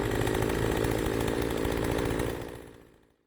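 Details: PoulanPro 4218 42cc chainsaw after top-end rebuild following overheating and lost compression: buzzes steadily at high revs through the cut, no bogging or sputter, winds down smoothly when released; healthy running saw.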